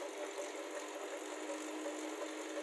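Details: Elite Suito 2021 smart trainer: light, evenly spaced ticking a few times a second over a steady hiss; loud rhythmic tapping, maker says normal, owner disagrees, cause not identified.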